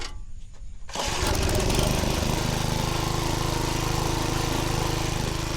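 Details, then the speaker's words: Vintage Lazy Boy 5 chain-drive tiller, age unknown, freshly fueled, after choke and throttle adjustments: the single catches and runs with an uneven chugging beat, then cuts off; starts then stalls. "There it is. That boy running. Now we like a Oh, it cut off on me just like that. We thought we had it running."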